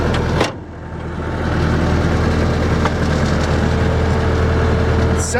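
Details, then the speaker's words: Bobcat 873 diesel brought down to low idle: a steady, even smooth low drone with no bogging or hunting, where before it bogged itself out; now running healthy. "If I come down to low idle, it's running. Before it's like bogging itself out."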